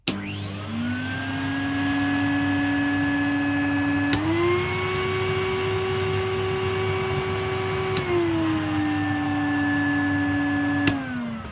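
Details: Vacuum from the tip, run without a bag, smelling damp. Smooth, steady motor whine that steps up in pitch and settles back down, with no rattles or scraping. Motor is healthy.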